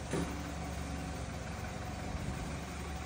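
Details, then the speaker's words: BMW 328i N20 turbo engine after fitting a clamp piece holding the turbo wastegate actuator to stop its rattle: smooth, even idle with only a light direct-injection high-pressure pump tick and no metallic rattle. Normal idle after the fix. "شرات لي بيام واش ما بقيناش كنسمع داك الترسير"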